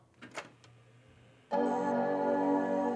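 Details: Power Macintosh G3 Minitower on first power-up, with an Apple Multiple Scan 720 CRT attached: a few faint clicks, then a loud, rich, sustained major-chord startup chime. It is a healthy boot, and it goes on to Mac OS 8.6.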